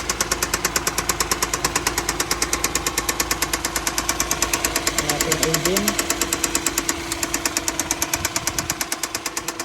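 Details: 2017 Hyundai Santa Fe petrol engine idling with a loud, sharp, evenly spaced knock from a failing rod bearing on a new engine.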